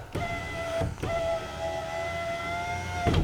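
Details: 2011 Mazda CX-9 window after repair of a worm gear fault: smooth even motor whine holding steady pitch through each two-second travel with clean stops; the window motor is healthy.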